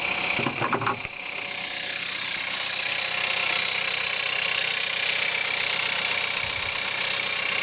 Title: Cold start at -5, Skoda Octavia 1.4 TSI, 150bhp - rattle, noise, sound like diesel